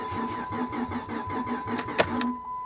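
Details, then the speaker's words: Vehicle with catalytic converters cut off, at salvage auction: starter cranks in an even chug of about five turns a second for two seconds; fuel pump heard running constantly, engine never catches. "it almost sounds like it wants to"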